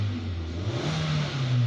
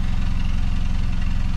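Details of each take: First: 2018 Hyundai Creta GS with customer complaint of power loss, after values reset with scan tool: smooth even rise and fall through several throttle blips, no stumbles or pops; normal revving, no misfires. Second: 2018 Hyundai Creta petrol with power loss on acceleration and high misfire counts, mostly on cylinder 4: idles evenly with a steady low pulse and no audible skips; the misfire may be intermittent.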